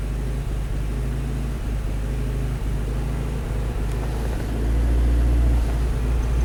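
Uneven, stumbling idle that swells when the throttle opens near the end and keeps stumbling, a misfire under acceleration.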